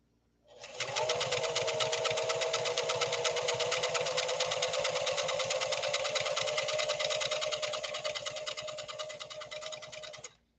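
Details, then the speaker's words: Singer Fashion Mate Model 362 sewing machine, restored after being called non-repairable, running smallest zigzag setting; fast, even ticking with a smooth motor hum, no knocks or binding, running healthy. "For a machine that so-called experts down in the Tampa, Florida area said was non-repairable, I think it's running pretty well, don't you?"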